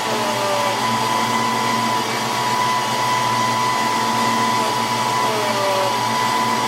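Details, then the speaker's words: 1993 Ford Mustang GT foxbody with Coyote swap, hydroboost after brake bleeding: smooth steady power steering pump whir with no rising whine; the whine is gone, air is out, and pedal is firm. "the brakes are nice and stiff we got our pedal back the wine is gone and I think we got all the air out of the system"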